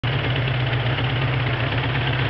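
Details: 1981 Suzuki GS550 four-cylinder, first start after five years stored, rebuilt carbs and top end (10.5:1 Wiseco pistons, bored .010 over, fresh gaskets): deep, even idle with steady low beat, no knocks or misses; normal idle.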